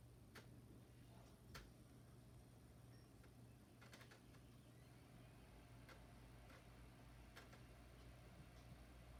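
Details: Wii running its only GameCube game gives a low, steady drive hum with irregular clicks and ticks, then a sharper clatter near the end. The game still reads, plays and dumps fine, and it is unclear whether the Wii or the disc is at fault.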